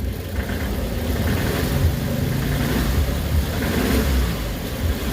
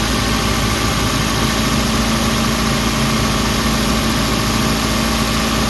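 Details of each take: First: Suzuki Carry with low power, struggling on hills, warmed up, before engine treatment: revved at about half pedal, shaky uneven low drone that never settles; engine runs rough with vibration. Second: Suzuki Carry after adding an engine treatment, run under two minutes: steady, even idle with low hum, no knocking or lumpy shake; earlier vibration largely gone, engine now running smoother.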